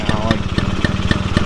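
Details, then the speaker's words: 1978 Honda Express two-stroke moped, smoking heavily and leaking oil: uneven, stumbling pops at low idle with irregular beats. Rough running. "out the back of the drop so as you saw this thing's blowing smoke not running right leaking oil everywhere"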